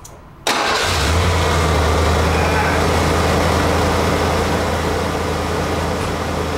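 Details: 1991 Ford F-250 5.8L 4x4 after throttle position sensor replaced (now 0.94 V closed, 4.5 V wide open, was 1.9 V causing 2000 rpm idle): quick crank, catches at once, settles into steady even idle, no knocks or misses; healthy.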